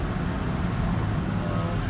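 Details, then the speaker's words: 2008 Volvo XC90 with AWD, driving at about 45–48 mph after CV joint replacement. Even road and drivetrain rumble with no clicking, clunking or grinding; the driveline sounds healthy. "But yep, my all-wheel drive is back, and everything is driving so smooth, no sound,"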